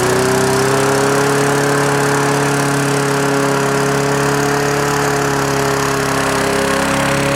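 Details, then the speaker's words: Toro Recycler mower. The small engine screams at a steady high speed with no governor drop because the throttle is held wide open. RPM is too high, though the engine runs well and the float bowl isn't leaking. "sounds like the uh engine RPM could come down that is just cranking uh we can do that"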